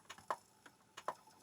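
A few light ticks and soft clicks as the pickup sled travels across the disc, clean and quick, nothing grinding; seeking normally.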